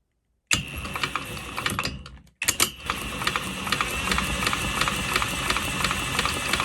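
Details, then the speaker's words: Villiers barn-find single-cylinder engine, timing set to 4.7 mm before TDC, spun over under a strobe: uneven knocking clatter about 1.5 knocks a second; lots of knock heard. "There's a lot of knock in there, isn't there?"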